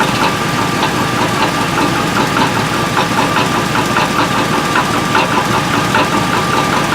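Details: 2003 Chevrolet Tahoe V8 idling with a steady, fairly even knock about once a second over the exhaust; exhaust leak and broken manifold bolts suspected, knock sounds like a broken flexplate, not confirmed.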